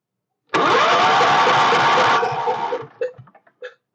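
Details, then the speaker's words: Stationary Kohler K301 engine cranking: about two seconds of even, rapid starter churning with a steady compression beat; turns over normally; owner notes an intermittent clunk and guesses rod-to-crank clearance. "so she turns over pretty good"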